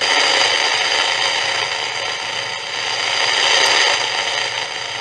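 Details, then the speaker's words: 1940s Philips 206A valve radio under restoration: only a steady hum, hiss and static from the speaker, no station coming through; tracing suggests a tuning problem, a weak amplifier and possibly a non-working oscillator. "er is een brom uit de luidspreker maar er komt niets door"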